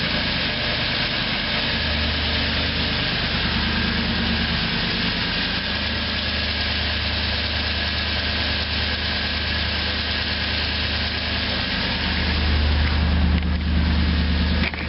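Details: Toyota Tundra V8 at cold idle, around 50°F; a faint, quick tick over the rumble that disappears once warm; owner unsure whether it is valve tick, piston slap, an exhaust manifold leak or an injector.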